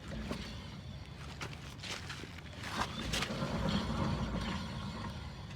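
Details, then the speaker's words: 2010 Mazda 5 Sport rear wheel, which made a horrible noise while driving. Turning the wheel gives a rough, gritty grinding rumble with uneven creaks and clicks: a worn rear wheel bearing/hub needing replacement. "can hear that grinding noise that wheel bearing shot"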